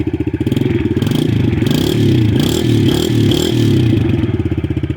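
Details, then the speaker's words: TTR 110 with swapped-in KLX 110 carb, 40 pilot/88 main, just after cold start: small single blipped repeatedly, revs pick up cleanly with no stumble or bog and drop back smoothly; normal throttle response, much better than stock carb. "uh the throttle response is miles better let's see"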